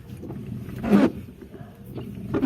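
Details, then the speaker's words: Mitsubishi Adventure with 5–10-year-old Bosch wipers on sprayed wet glass: loud groaning squeal and chatter each sweep; swapping left and right blades didn't help, so blades need replacing. "it's been like i think five or ten year old wiper and it's kind of noisy so we're gonna do a little sound check okay sounds like the philharmonic in action"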